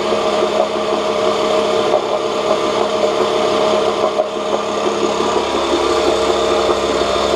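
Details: 1986 Johnson J4BRHCDE 4 hp Seahorse two-stroke outboard, stored for years, previously overheating, test-run in water after cleaning water passages: steady speed, even beat, no knocking or sputter, cooling restored; about 5 minutes in, a little hot; small known carburetor leak; runs normally.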